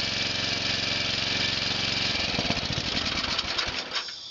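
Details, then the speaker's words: Murray small engine, cold start after sitting about four months, cranked first to spread oil, with a little gas and a lot of choke: quick, steady firing beat for about two seconds, then roughens and winds down; started readily. "That's not bad. A lot easier than I was expecting."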